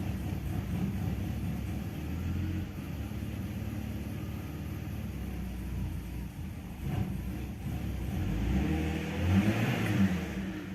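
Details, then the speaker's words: BMW E46 325i automatic, in Drive, heard at the exhaust: idle hunts, sagging and recovering; RPM dips just off idle and may stall after an earlier three-cylinder misfire; plugs checked; owner suspects the exhaust cam sensor (fault code). "Could that still be that the exhaust cam sensor is at fault or is this starting too smooth? I can hear it hunting..."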